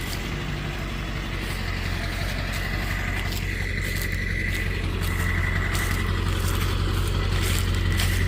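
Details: Ford F-250 7.3 Powerstroke diesel: steady, even low-idle clatter unchanged through slow maneuvering to hook a trailer, no misses or knocks; running healthy.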